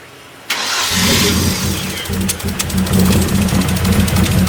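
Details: Freshly built Hyundai Genesis Coupe turbo engine, first start after install and oil priming: engine catches but runs unevenly with wavering, lumpy idle and hiss; crew suspects a big leak.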